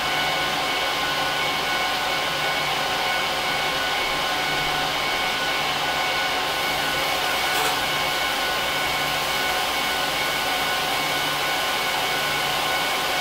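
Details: HP ProLiant DL380p Gen8 server (24×4GB DIMMs, eight 300GB 10,000 rpm drives in RAID 5, both PSUs, no cards) during POST/boot: loud, steady rushing roar from several fans at full speed, no rattle or grinding; normal startup fan noise.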